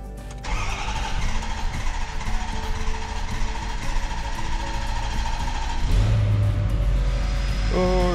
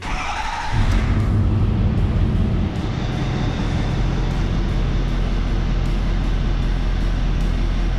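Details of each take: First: 2011 Ford F450 6.7 diesel with code P1266 injector short/misfire, after injector replacement and programming: it cranks, catches quickly and settles into a steady, even idle with no misfire, running perfectly. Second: 2011 Ford F450 diesel, code P1266, cylinder 6 injector high-to-low side short: starts to a deep, slightly uneven idle from cylinder 6 misfiring, power balance about -40; injector replaced.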